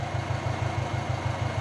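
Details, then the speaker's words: Big-turbo Subaru Forester with external wastegate: steady cranking at about ten even pulses a second, never catching, even after adding 5 litres of 98 fuel (owner suspected flooding or wet plugs); actually no power to the fuel pump. "I've got no fuel pump that's why she's not starting"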